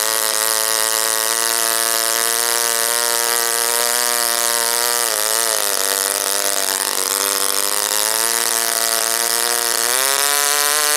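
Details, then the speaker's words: OS Wankel rotary on 5% Omega fuel with extra castor and a 10x4 APC prop, run after cooling from overheating: high steady scream sags twice and climbs back, not holding high throttle. "I'm just trying to figure out why the engine doesn't hold a high throttle or high rpm"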